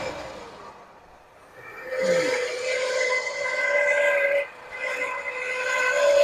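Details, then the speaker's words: 1979 Lincoln Continental, abandoned 32 years and just revived, running with a steady high whistle rising and falling with the engine; owner suspects the smog pump. "That sounds horrible, don't it? Not sure, but it could be that smog pump too."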